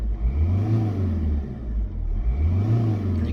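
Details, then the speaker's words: Ford Fiesta 1.4 TDCi after engine replacement and P0045 boost fault fix, no fault codes, driving; deep diesel note swells twice as throttle opens and eases, turbo audibly spooling, pulling smoothly with no knock or rattle; boosting properly, no dash lights. "you can hear the turbo spool up as well. So I'm going to call that one a fix."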